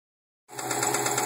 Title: 02 wrx with a spun bearing